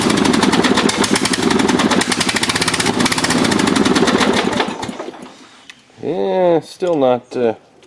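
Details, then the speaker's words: Dynamark riding lawn mower, tried after a new carburetor gasket and fresh gas, carburetor not yet removed: small single-cylinder engine chugs unevenly about five seconds then dies; dirty carburetor starving it. "doing good let's say so you can get it running a little bit longer"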